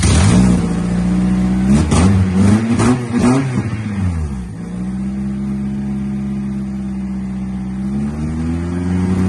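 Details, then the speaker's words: Honda Civic Si EP3 race car, engine just installed, first start with exhaust fitted: revs up cleanly several times, then settles to smooth, even idle with no knocks or rattles; running motor. "Got a running motor now."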